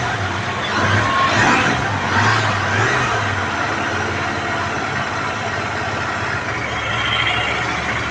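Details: Royal Enfield GT 650 with a starting complaint, after replacing a blown fuse that had a loose contact: steady, even twin-cylinder idle with no misses or knocks; the engine starts and runs healthy.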